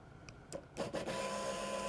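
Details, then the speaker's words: Vehicle fuel pump run by jumping fuel pump relay terminal 30 with fused jumper, 13.97 V available: faint click, then a steady thin electric hum holding even; pump and wire harness working normally. "you can hear the fuel pump run so what does that tell me or tell you out in the driveway well it tells me your fuel pump's working tells me your wire harness is working"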